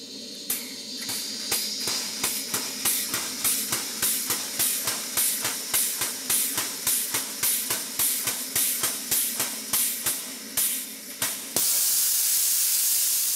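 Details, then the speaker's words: Vertical Southworth 12-inch steam boiler feed pump tested at higher steam pressure, supply connection only silicone tubing pushed onto a threaded tap: sharp regular chuffs three or four a second over loud steady hiss, then pure hiss; steam leaking at that connection. "to self it's not a good idea to turn up the steam pressure when the steam connection is just a piece of silicone rubber tubing pushed onto the threaded end of the tap"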